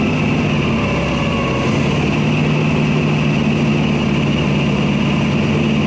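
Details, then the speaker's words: Small block Chevy V8 in the Church Bus running on a new mechanical fuel pump fed from a temporary tank under the hood through aluminum fuel line: steady, even drone with no misses, knocks or surging; normal running. "good for now it runs I've got a temporary tank underneath the hood it's somewhat plumbed in with some aluminum fuel line and"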